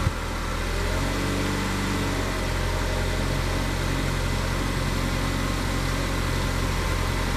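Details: 2014 Chevy Equinox 2.4L, which stalled on take-off after sitting with code P0011, after replacing spark plugs: steady, even idle with a smooth low hum and no misses, stumbles or knocks; running normally.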